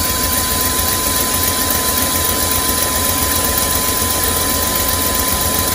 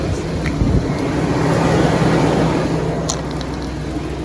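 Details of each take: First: 2001 Chevy Express van, 4.3 V6, sat nearly three years; after spider injector, ignition coil and distributor replacement, started on starting fluid: lumpy, shaking idle with hiss and smoke. Rough-running misfire; check-engine light went off. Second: 2001 Chevy Express van, 4.3 V6, first cold start at 35°F without starting fluid after spider injector, coil and distributor replacement: catches, climbs to fast even cold idle, settles lower with no misses; no service engine light, running great.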